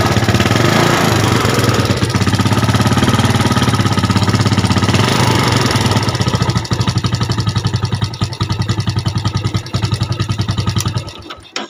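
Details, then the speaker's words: Yamaha Jupiter Z motorcycle that fouls spark plugs quickly, with oil seeping: engine runs rough with a light ticking klitik knock, then shuts off. "Oke dah kedengarannya suaranya seperti ada klitik klitik sedikitkah"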